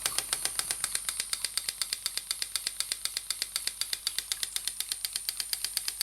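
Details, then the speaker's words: Stuart "donkey" steam water pump model, 6 cm3, running on compressed air (rated 40–400 strokes/min): crisp, even clip-clop clicking about six beats a second, no knocking or hiss; pump working normally. "la pompe fait son travail et comme vous l'entendez fait son clope sur clope"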